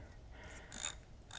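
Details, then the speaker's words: Craftsman Gen 4 hand ratchet after refurbishing, disassembly and lubrication: a few soft, faint, barely audible clicks, smooth and in good shape, unlike the grinding of an unrefurbished one. "This is one that I've refurbished, and listen to that. You can't hear anything."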